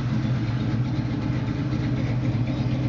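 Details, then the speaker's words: 1979 Chevrolet pickup, 383ci V8 with about 100 miles on a very recent engine, started cold without problem: deep, steady idle with even beat, no vibration, misses or knocks; smooth-running engine. "et on voit bien il vibre pas il tourne bien bon ralenti quand je suis arrivé il était froid hein donc démarrage à froid sans problème"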